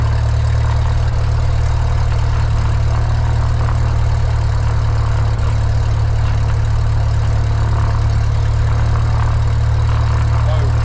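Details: Light aircraft piston engine, mixture full rich, started on the left tank then selector moved to what was thought "both" but was actually off (unmarked old faceplate): low, lumpy idle with uneven pulse sagging as if out of fuel, then dies; fuel starvation stall.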